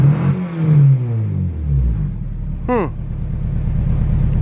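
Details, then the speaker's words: Honda EK after a fuel pump swap, before tuning for boost: the engine fires and settles to an uneven, lumpy idle with a faint stumble. It sounds a little better but not 100%, still running rough. "sounds a little better but not a hundred percent well that's a little bit depressing man"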